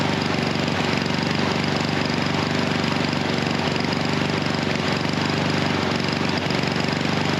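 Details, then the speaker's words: Husqvarna HU 700F mower at full throttle chugs in a rough, uneven beat of about four per second before dying. The easy-start auto choke system is suspected and appears stuck closed. "Um, I think that's the issue. something with that auto choke system is the issue."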